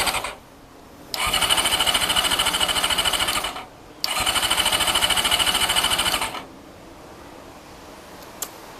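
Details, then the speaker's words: Honda CBR400RR NC23 with spark plug out and carb spray, temporary fuel pipe leaking: two bursts of fast, even starter cranking that never fire; no spark. "so right there's something very very weird going on here um there's no spark so i've got spark plug out and i've been um spinning that over and there's no spark"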